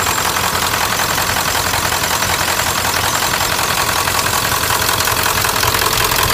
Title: 1997 Ford F-350 turbo diesel bad injectors